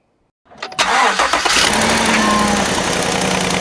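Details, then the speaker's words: Bought-used 2016 Chevy Silverado, cold start. The engine catches and settles to a fast, light ticking at idle that goes away as it warms. Exhaust manifold leak from broken studs on the passenger side, toward the back, to be replaced. "a great truck but it started doing this infamous cold start ticking noise after all the research that i've done it definitely seems like it's the exhaust manifold studs on the passenger side have broken"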